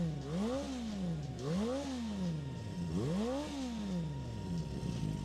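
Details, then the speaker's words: Four-cylinder bike with a racing Yoshimura exhaust, which revs to 10,000 rpm, warmed about 5 minutes on a very cold day with condensation still present: crisp, even revs rising and falling cleanly, smooth, no knocks or misses; normal revving. "The engine's nice and smooth, as you can hear here. Then it sounds really good with this racing Yoshimura system on as well."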